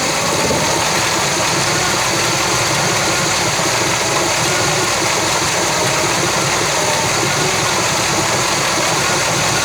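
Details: 1966 Chevy Biscayne 396 big block on new throttle linkage, first run pulling from gas tank, parked on a grade: loud steady even rumble with no stumbles or knocks; running smoothly.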